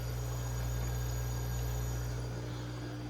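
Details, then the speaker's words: Newly installed Hygger 158 aquarium air pump with long lines to a manifold, just switched on: a steady low hum with a fast, even buzz of about four pulses a second and no rattle. Normal running. "It's not too bad."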